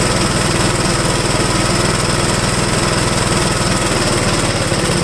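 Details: Restored 1969 Gravely single-cylinder tractor, no governor, started choked at about half throttle: loud, steady chugging at fast even pace with crisp exhaust note; normal running.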